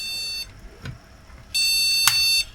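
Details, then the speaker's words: Retro PC motherboard powered on with no RAM installed, speaker connected: two high, long beeps about a second apart with no fan noise, the POST beep code for missing memory. "so looks like this needs Ram"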